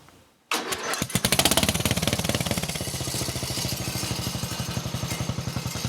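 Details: Old Montgomery Ward riding mower with a flathead single, temporary tractor-style muffler fitted: engine catches and settles into a quick, even popping exhaust beat, no misfires; running normally.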